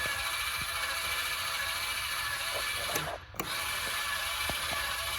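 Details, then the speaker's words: 2025 Forest River Surveyor 305RLBS travel trailer stabilizer jacks retracting via held retract button: steady, even electric motor hum with light gear chatter, briefly pausing then resuming; normal retraction. "And then to retract, it is just the same thing. Hold your retract button. The feet are going to start making their way up."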